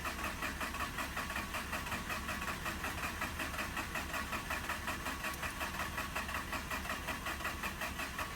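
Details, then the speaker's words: Mazda RX-8 rotary that shut off while parking, cranking with battery at 12.1 V and extra charge applied: steady, even cranking at almost three beats a second, never firing. Owner suspects the missed oil pre-mixing; cause unconfirmed. "Okay, I'm going to let my starter cool down just a little bit, and then I'm gonna go back and try starting it again."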